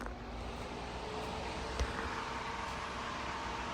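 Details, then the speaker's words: Newly assembled Lasko 16-inch oscillating pedestal fan on speed 3: smooth, even, loud airy rush with a faint steady hum and no ticking or scraping, working normally. "3, loud. Yeah, that's a good fan. It's working great."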